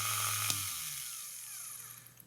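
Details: Vintage Elson watchmaker's lathe brushed motor, cleaned and rewired, restarted after failing to restart, owner suspecting brush contact: high even whine, then pitch slides down as it coasts to stop; runs normally.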